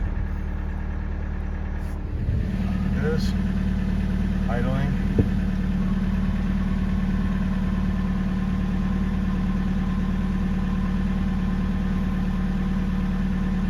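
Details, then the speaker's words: VW TDI diesel after installing an electric lift pump: brief crank, then a steady, even low diesel idle with no stumbling. Normal idle; owner feels it now starts quicker. "sounds good do the start one more time"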